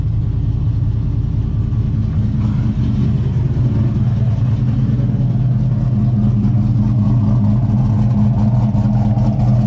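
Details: Silverado with swapped L92 (LS3) from a 2008 Escalade, T56 Magnum and Texas Speed LS3 Stage 2 cam, some base tuning done; deep lumpy choppy idle swelling with a couple of light revs, healthy.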